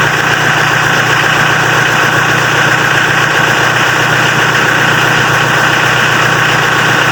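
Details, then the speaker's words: Mitsubishi L300 diesel that was hard to start when cold in the morning, after repair of the glow/preheating system: starts easily cold; steady even idle clatter with constant pitch, no stumbles or misses. "Nah, di sini setelah dilakukan perbaikan pada sistem pemanasnya, mobil L300 diesel ini pada waktu posisi dingin sudah mudah dihidupkan."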